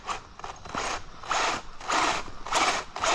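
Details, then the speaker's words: Two-year-old Traxxas Unlimited Desert Racer RC truck on 4S (two 2S LiPos), running with only front wheel drive: raspy ratcheting bursts about two per second as the drivetrain loads; owner guesses stripped center diff gears or a chipped tooth. "So since I think that this is my guess, the gears in the center diff are stripped, which is why we're getting this reaction."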